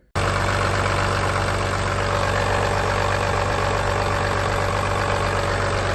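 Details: Replacement diesel engine (P-pump Cummins swap for a Ford truck formerly running a 7.3 IDI), shown running before purchase and install: steady idle with an even low rumble and constant clatter, no misses or surging.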